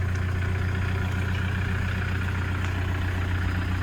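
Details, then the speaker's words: 2009 Toyota Commuter 2.5 D4D diesel van started and idling with an even, steady low rumble and no knocks or rattles; the engine runs quietly. "สตาร์ทเครื่องเรียบร้อยครับเครื่องเงียบๆนะครับ"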